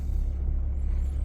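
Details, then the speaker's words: 2016 Toyota Sienna, hard to start and runs poorly: smooth idle under steady deep whoosh of radiator cooling fans running constantly, check engine light on; cause a chewed coolant temperature sensor wire. "starts up now as you can see right there there you go cooling fans are on they're running right now"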